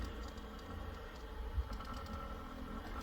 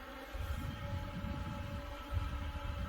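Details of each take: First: New LitezAll rechargeable lithium-ion mini fan on speed one, sitting on a table: a quiet low hum with an uneven buzzing rattle, vibrating a lot and making a weird noise while still pushing good air; fan vibration noise. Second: New LitezAll rechargeable lithium-ion mini fan at speed three (top): a steady, even buzzing hum with a rush of air, loud but with no rattle or wobble, pushing a good amount of air; normal running at high speed.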